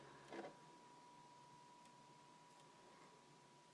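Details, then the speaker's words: First-generation slim PS3 (2009) with a failing laser, loading a clean Black Ops 2 disc: quiet whir with a thin steady tone and soft ticking clicks as the drive struggles to take the disc, then seems to eject it. "put it in here it's actually struggling a little bit to go in making some ticking noise"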